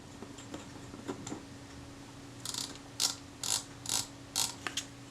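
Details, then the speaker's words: Old camera, about fifty years in a basement, being serviced: crisp, evenly spaced film advance ratchet clicks in short bursts, each catching cleanly after the top is reassembled and the frame counter works; normal winding mechanism. "sounds pretty good let's see what happens have we got frame counter we have got frame counter that looks pretty good to me"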